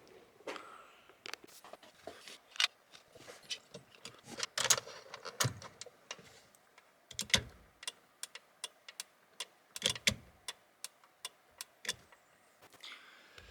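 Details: BMW E30 during electrical repairs, indicator relay tested: after some handling noise, a crisp, even tick-tick at about two per second; normal turn signal flasher clicking.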